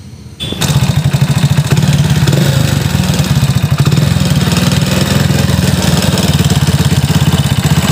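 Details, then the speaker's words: Hero Splendor single-cylinder before engine rebuild, warm idle (rougher on morning cold start); fast even tapping and clatter over the beat, noise at timing chain and head. Piston slap and timing chain noise. "ಈಗ ಸ್ವಲ್ಪ engine heat ಇದೆ ಅದಕ್ಕೆ ಸ್ವಲ್ಪ sound normal ಆಗಿದೆ but timing chain head ಅಲ್ಲಿ sound ಬರ್ತಾ ಇದೆ"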